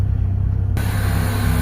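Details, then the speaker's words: Toyota 4AFE, warm, AC just turned off, after throttle body and IACV cleaning plus an ECU reset that cured a 1200–1400 rpm high idle: smooth, low, even idle dropping below 1000 rpm, no hunting or surging. "so that means cleaning the ER resetting the ECU work and restored my idle"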